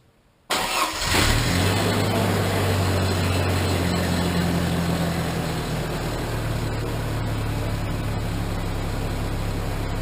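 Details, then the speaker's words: Ford Ranger after a salvaged replacement exhaust was fitted in place of the old one, routed over the rear axle: engine catches and settles into a steady, fairly soft idle with a low even note and no rasp; much quieter. "she sounds much quieter"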